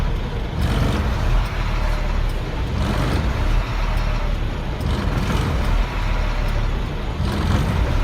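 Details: 1999 Freightliner diesel truck with hard start/no start, surging at idle: rumble rises and falls about every two seconds, blue-gray smoke from exhaust under belly box; owner suspects bad fuel pressure sensor; later died, then idled fine.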